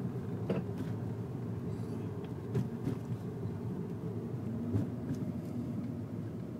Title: Metal Knocking sound when I hit a bump